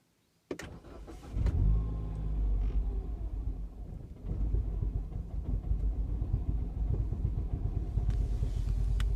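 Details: Mini R55 JCW petrol engine with P0301 and P0303 misfire codes cranks, catches and idles unevenly with a stumbling beat; cause turned out to be the high-pressure fuel pump.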